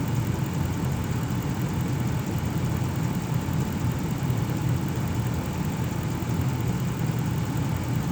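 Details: 2006 Ram 1500 4x4 5.7L Hemi V8 after water pump replacement, idling at operating temperature. Steady, even low rumble with no misses, ticks or knocks. The thermostat has cycled between 190 and 208: normal idle.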